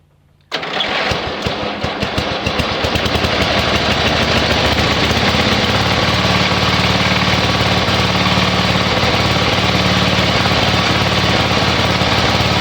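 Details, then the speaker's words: Yardman (MTD) ride-on mower engine after removing redundant seat-switch wiring and refuelling: catches within a second and settles into a steady, even run with no misses; running normally, kill switch tab found loose. "Okay, she works. Yay!"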